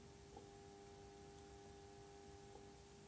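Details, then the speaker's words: Cheap lithium button cell (LIR2032) charger's transformer under a 3000 V AC insulation test: a faint steady buzz with a mid-pitched hum and soft hiss from corona discharge, while the insulation holds. "hear Corona I can hear it buzzing I can hear Corona discharge but it's made it three thousand volts it's making fuzzing buzzing noises but that is probably Corona discharge"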